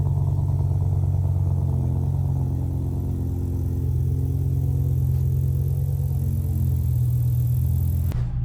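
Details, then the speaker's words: BMW M5 E60 with Super Sprint header, recorded on iPhone next to driver door: deep loud idle with raspy uneven puffing; sounds like a big exhaust leak at header joint. "I recorded on my iPhone to show you guys how much of the leak it was coming out next to the driver door."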